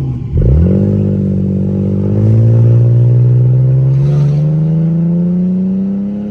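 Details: Mercedes W210 automatic driving after the conductor plate was replaced: engine note climbs and stays high with no upshift, stuck in first gear; no engine light, plugs checked.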